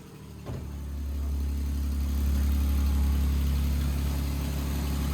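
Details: 2008 Jeep Wrangler after replacing the bad starter and battery: cranks briefly, catches and settles into a smooth, even low idle with no knocks or misses. Normal idle.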